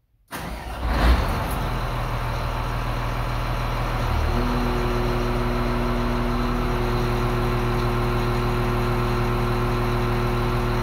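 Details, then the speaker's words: Motor grader diesel with variable-displacement axial piston pump and pressure compensator set at 3375 psi, function stalled: steady idle barely dips; pump fully de-strokes at high pressure, so engine load stays light, normal. "so the engine's barely working we're at very high pressure but because the pump is fully de-stroking with the pressure limiting compensator i don't hear the engine under much load at all"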